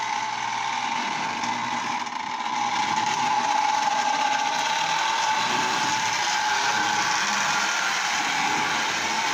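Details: Lionel Tie Jector toy train, reassembled with brushes put back in its motor: even, steady whir from the small electric motor with no stumbles or grinding; running again after repair.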